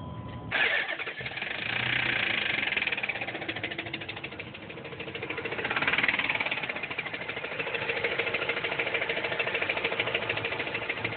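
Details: 2004 Dodge Durango starts and settles into idle with a quick, steady tick-knock about three per second; owner unsure whether broken rod or exhaust, cause unconfirmed.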